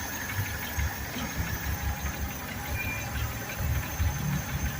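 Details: Suzuki Carry 1.0 running on gas with the petrol hose disconnected, after regulator and idle-circuit adjustment: low, even putter with soft regular pulses and a light hiss; settled gas idle without throttle input.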